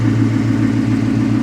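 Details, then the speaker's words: Dodge Challenger 392 SRT8 with manual clutch, at a salvage auction walk-around, running like a dream. Deep, smooth, even V8 burble at steady idle with no ticks, knocks or misfires, and the exhaust sounds good: normal idle. "exhaust sounds good like i said running very well"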